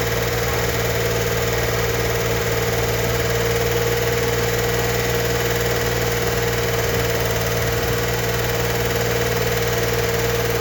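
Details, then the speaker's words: 1964 Corvair Monza Spyder turbo engine, freshly built, held at 2,000 RPM for 20-minute cam break-in after first startup; steady, even drone at raised fast idle with no knocks or rattles, lifters being pumped up; normal running. "We're not just revving it up to hear the clicking and clacking on the lifters before they're fully pumped up. To break in the cam, we need to run the engine at 2,000 RPM for 20 minutes."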